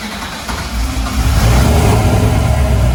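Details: Freshly installed replacement LS1 V8, first start after the old engine threw a rod through the pan, fuel system primed: settles into a choppy, rhythmic lope with deep exhaust rumble and no clacking; healthy idle with an aggressive cam.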